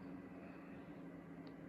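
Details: Alienware Aurora R11 (i7-10700KF, RTX 3080, 16 GB) at idle: a steady airy fan whoosh with a low hum. A mistakenly applied performance thermal setting ramped the fans from 17% to about 40%, and the GPU fan also kicked up.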